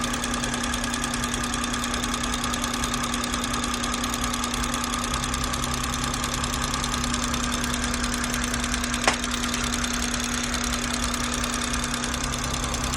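Quick, light ticking of about three per second rides over a smooth idle hum, clearly above the engine note; the source is undiagnosed.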